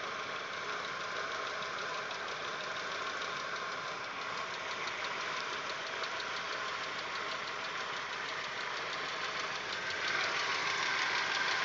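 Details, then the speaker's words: Audi 1.8, 90 hp, at idle after cylinder-head repair: rapid light lifter ticking, about three per second, louder with changing rhythm as the engine warms. It is silent cold and fades every 2.5–3 minutes. Lifters were swapped with no change. Owner suspects the 15W-40 Lukoil oil or the hydraulic lifters. "мотор прогревается и начинает стучать громче периодичность тоже меняется"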